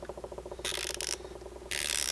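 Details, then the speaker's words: Snap-on 80-tooth flex-head stubby ratchet: fine, even, rapid clicking with no catches or rough spots, plus bursts of hiss; a normal, smooth ratchet mechanism. "right here look how smooth that is oh my god look at that if you guys can't hear that that's how some boot it is"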